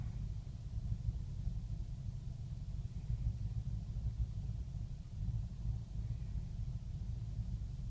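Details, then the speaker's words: 2005 BMW 645Ci E63, N62 engine, first start of the day after sitting, ambient mid-70s°F: low, lumpy idle that swells and sags and nearly stalls, with shaking and an engine malfunction warning; rough idle. "but it's almost wanting to stall right now it's that pronounced okay real bad Shake again"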